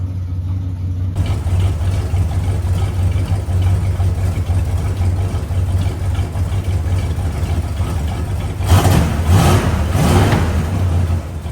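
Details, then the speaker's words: 1970 Dodge Charger, 383 big block V8, stock exhaust before Flowmaster install: deep steady idle burble, then two or three quick throttle blips rising cleanly and settling; healthy engine. "This is a big block 383 car, and there's a couple of things that he wants to do to it to definitely make it sound a lot nicer. This is what it currently sounds like with the stock exhaust."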